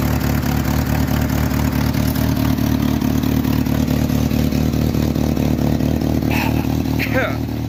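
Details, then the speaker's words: 1986 Jeep Comanche 2.5L four-cylinder, 4-speed 4wd, idling during valve cover job: constant loud rapid puffing, raspy tick; owner thinks exhaust manifold cracked in another place again, then says he basically lost another exhaust manifold. "I think the manifold cracked in some other place again"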